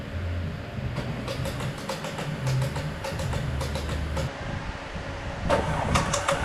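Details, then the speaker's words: Audi Q5 2.0 TFSI towed in as a non-start after timing chain failure, cranking with cylinder 1 plug out for a compression test: fast, uneven cranking with sharp metallic tapping as pistons hit bent valves; about 70 psi reached. "So I've got my compression test gauge attached. It sounds like the pistons are touching the bent valves."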